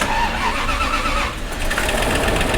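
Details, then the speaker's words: Bentley Arnage T, sat about two years in desert sun, first start after reassembly: long steady cranking drone with no clear catch, engine slow to fire; extended cranking before it starts. "okay so first starts since uh we've put it all back together so it could be a number of things so let's just wait and give it another crank I guess"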